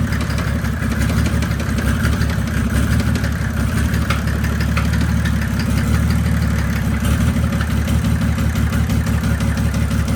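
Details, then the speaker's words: Heavily built 1998 Mercedes OM606 turbodiesel (DPUK rods, 8.5mm pump, BorgWarner S364.5 turbo) in a 1984 190D drag car, idling after its last full pull with a hard, irregular knock over the low rumble; owners suspect a bad injector, unconfirmed. "Yeah. That sounds injector. Yeah, that was weird. Dude, if that's injector. Dude, I really hope it's just like the bad injectors."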